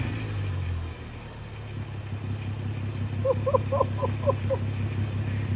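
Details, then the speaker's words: Audi 3.2 V6 in a 155k donor car, engine still cold: smooth even rise in engine note through a short throttle blip, no knocks or rattles; healthy engine. "I don't want to rev it because the engine's still cold, but I know you guys want to see it. It sounds absolutely amazing."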